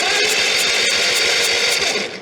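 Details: 1952 Caterpillar D4 dozer, sat about 10–15 years, pony engine cranked for a spark test (spark present, no fuel yet): fast even cranking, about ten pulses a second, clattery metallic hiss; turns over freely but doesn't fire.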